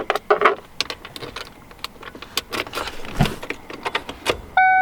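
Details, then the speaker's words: 1995 Ford Mustang GT after gas tank replacement, fuel added from jerry cans: at key-on a few light clicks, then a steady electric hum comes up and holds as the fuel pump primes normally. "so I'm gonna turn the key and let her prime a few times"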